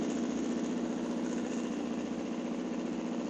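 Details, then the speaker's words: PPE delivery motorcycle after fitting exhaust baffles, catalytic converter removed: even, muffled idle at about four pulses a second with no misses or rattles, noticeably quieter than before; healthy. "That's noticeably quieter than it used to be. I don't know if you can hear me at all."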